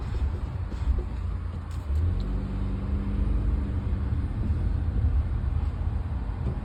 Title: No Grinding Noise 1